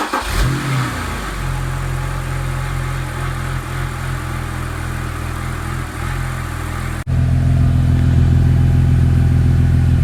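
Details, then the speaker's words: BMW E90/E92 with stutter and rough idle, restarted after the VANOS exhaust solenoid was cleaned and reinstalled, ignition coils checked good: steady, even low hum with no stutter or misses; normal idle. "seems to be doing a lot better."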